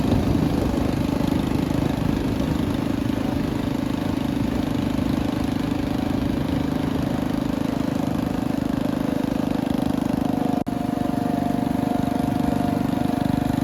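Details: 1962 Bolens Ride-a-matic garden tractor on an outdoor drive after restoration: small single runs with a steady, even beat of roughly four pulses a second, no knocks or misfires; healthy, runs very well.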